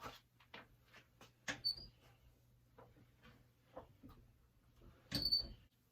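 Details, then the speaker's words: Door with a very slight hinge squeak, before lubricating: door swinging gives two short, thin, high squeaks amid light clicks and handling noise. "this one's only got a very slight squeak i'll see if you can hear it on camera here"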